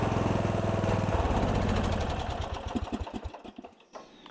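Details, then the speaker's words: 1997 Murray riding mower single-cylinder engine after starter repair: chugs evenly and firmly, then winds down cleanly to a stop; normal healthy running, mower back in action. "Well, she's back in action. I can get back to moving dirt."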